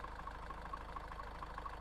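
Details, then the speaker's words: High-mileage Range Rover Evoque running and shaking badly: a rough idle with a heavy low rumble and a light tick about four times a second. The owner rules out engine mounts and suspects a seized dual mass flywheel. "this engine should not be shaking around this this badly it's got to be in here that je M got it's just rubbling too much I think that jeel mass has got to be seized up"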